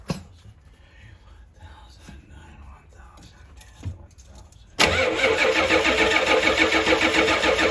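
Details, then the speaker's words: Diesel skoolie bus after glow plug relay replacement; the glow plug light goes out as soon as cranking begins: steady starter cranking at about three and a half beats per second that never catches; still won't start. "sometimes she takes a cup time to start let me just give it a second try"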